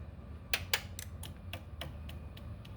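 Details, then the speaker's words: Honda Ruckus after swapping in a new OEM Honda fuel pump, key on: about ten quick ticks, fast then slowing and fading over a quiet hum, priming fuel almost to the carb in one try; normal fuel pump priming. "Ah, much better. I already primed it all the way almost to the carb on just one try."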